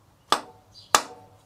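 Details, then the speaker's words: Yamaha XV1100 Virago, front cylinder, new intake rocker shaft tapped in with tiny hammer knocks: two sharp metallic rings as the tap tone changes and the whole engine takes over the vibration, showing the shaft is fully bottomed and seated. "whole sound of hitting this bolt changed into the whole engine takes over the whole vibration it will change the sound"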